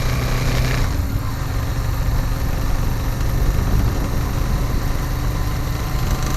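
Twin idles with a low, uneven lumpy beat; some knocking may sit in the rumble, cause can't be pinned by ear.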